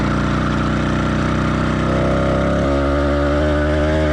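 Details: Two-stroke motorized bicycle engine started cold in cool weather, choke then off, warm-up phase: small motor burbling unevenly at idle, skipping beats and lumpy, then smoothing slightly; rich four-stroking, expected for the first 5–10 minutes.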